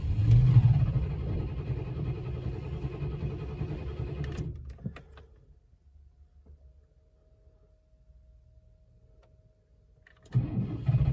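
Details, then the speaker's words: 1998 Chevrolet C1500 Silverado, coolant and oil topped up, battery weak: steady cranking about four beats a second that never catches, pause, more cranking; GM smart security/key issue blocking start until key resynchronised. "Come on. Oh, nearly sounds like it wants to go."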